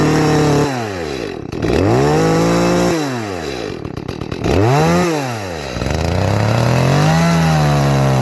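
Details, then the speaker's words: Echo CS-310 chainsaw in the cut after high-speed jet leaned about 1/8 turn: rises and falls through rev sweeps in cut, blubbery and soft at top; carburetor still really rich, leaned further. "Still sounding really rich. I'm going to go ahead and lean it out just a little bit more."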